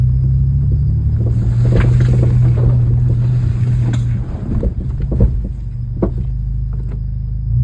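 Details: Honda Civic Si 10th gen driving over bumps: low road rumble with irregular dull knocks; clunk from driver-side rear suspension.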